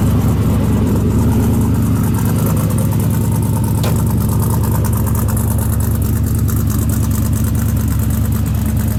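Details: Twin-turbo LS V8 Chevy II Nova on pump gas, about 800–850 hp, stainless headers and exhaust, one blow-off valve: loud, deep, steady lumpy burble with an even beat and no knocks or rattles, a healthy idle.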